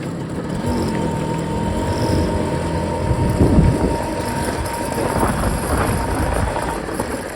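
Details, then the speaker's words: BSA Ariel 3 (K2) two-stroke moped on a test run up and down the drive, checking suspected fuel starvation after carb cleaning, a new fuel line and a relined tank. It pulls steadily with no bogging or misfire, a clean even run; first test good. "Right, handbrake off. Get the reverse. does sometimes bog a bit after you've gone tick over."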